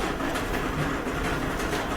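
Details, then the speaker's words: Older Whirlpool dryer (possibly series 7): loud, steady rolling rumble that never lets up while the drum turns; most likely worn rear drum support rollers, later repaired. "so that's a pretty bad rumbling noise we're gonna unplug it and most likely it's the support rollers in the back that are having trouble"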